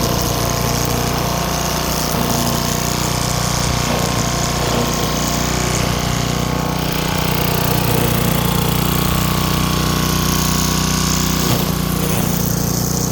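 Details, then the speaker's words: Craftsman wheeled two-stroke weed trimmer after new spark plug, carb cleaning and fresh gas, choke off, cutting weeds with commercial-grade line: strong, steady buzz holding speed through brief dips under cutting load; healthy, even-running engine. "Well, it works. It was that easy."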